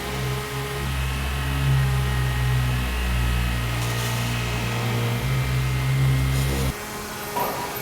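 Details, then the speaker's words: Engine idling with a steady droning whine from a failing power steering pump after adding fluid, air possibly still in the system; steering feels fine while driving, just noisy. "Driving this thing, the power steering doesn't feel bad. It's just noisy"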